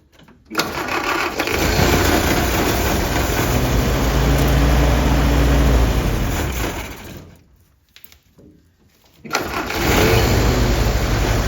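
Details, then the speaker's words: 1946 Willys CJ2a, sat in a forest over 40 years, first start: catches and runs rough on priming fuel, sags and dies; the original carburetor wasn't taking fuel and was swapped for another. "Well, that old carburetor that was sitting on the motor for 40 years just wasn't taking fuel, so we swapped it out to a carburetor that I had laying around"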